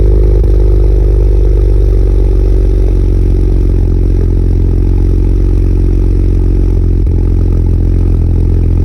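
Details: BMW E92 335i with N54 engine: deep engine note with an uneven, stumbling pulse under a light clatter; a misfire suspected from an injector, not confirmed.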